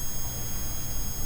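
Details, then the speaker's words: '90s neon novelty clock with electromagnet-driven pendulum, powered on: constant low mains-type hum with thin high whine on top; clock buzzes badly when on, cause unknown, no fix found. "This feels like an electromagnet. The tip of my screwdriver is actually uh magnetized to I guess a magnet in here. So, that repels this and it swings back and forth. It's just hot glued in place. Turn it on. You can also hear this buzzing pretty bad."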